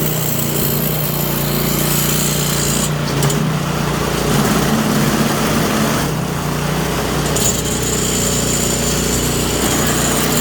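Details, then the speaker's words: Toro Power Clear 721E electric-start snow blower, customer says it won't start or won't stay running: small single-cylinder engine runs loud and uneven, speed hunting in waves before steadying; surging, carburetor suspected, not confirmed. "So this one here, customer says that it won't start, and if it starts, it won't stay running."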